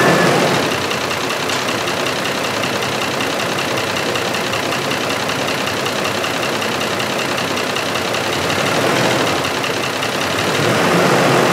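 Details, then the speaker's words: 2005 Ford F-150 5.4L 3-valve V8 with misfires, P0022 and P0345, VVT solenoids unplugged so no oil in phasers: steady ticking knock about four a second at idle, persisting as RPM rises; cam phaser knock relying on lock pin. "so when the BBT solenoids are unplugged there is no oil in the cam phasers and it relies on that lock pin to keep the two halves of the phaser locked together and you can hear I think when you raise the RPM that it still has that knocking sound"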